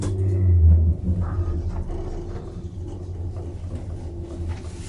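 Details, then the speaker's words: Express Lift Co baggage lift in a hotel, installed around the early 1990s: a deep, uneven thumping rumble of about two to three beats a second under the running drone, attributed to serious bearing problems. Engine-style thumping rumble. "this lift has got some serious bearing problems in fact if anyone use this at say halfast 5: in the morning then the management of this hotel could get some complaints"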